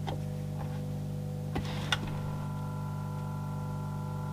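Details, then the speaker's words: Sony CFS-B11 boombox cassette deck: low steady motor hum with a few stray clicks but no tape movement or playback, drive not reaching the capstan; worn belts, replaced in the repair. "Hear the motor going, and that's about it."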